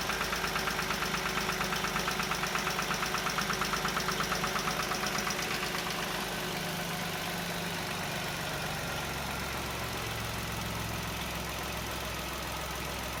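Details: Chevrolet Onix Plus engine on first morning cold start, when the brake is pressed: steady light knock about twice a second for the first six seconds of idle, then quieter; cause not identified.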